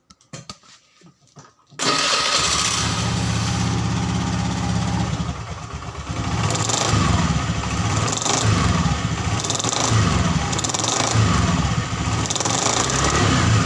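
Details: Honda Scoopy FI scooter, initial test before opening the CVT cover: coarse rattly drone rising and falling with throttle, very harsh from inside the CVT, suspected rear section; cause not yet confirmed; rough CVT noise.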